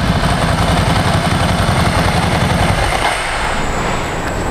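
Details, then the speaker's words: 17-year-old Ducati 1000 DS V-twin, restarted to focus on the exhaust note: deep, loping twin-cylinder thump holding steady at idle, very loud, with no misses or odd knocks; healthy. "karena pas gua nyalain itu semua langsung ngeliatin gitu kan kayak apaan nih dan suaranya keras-keras banget bahkan lebih keras dari noda mantanku"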